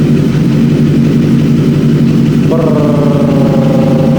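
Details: BMW S1000RR (K46 inline-four) after a 1,200 km ride: lumpy, uneven idle with a tractor-like chug and one cylinder dead, heard before repair. The cause is a fried ignition coil pack, which was then replaced.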